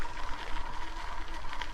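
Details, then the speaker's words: Replacement bicycle dynamo tried on a Sparta Athena bike after its Basta dynamo seized, run at 10 km/h; a thin steady whine near 1 kHz over a rough rattle, a rattly, whining dynamo that is not usable. "10 kilometers an hour. It is rattly and whining. It is definitely not the way."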